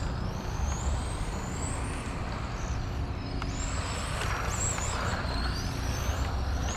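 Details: XRAY FK05 RC car with a 13.5T brushless motor: a thin, unusual high whine climbs and falls as the car speeds up and slows, riding over tire and surface noise; the cause is unclear.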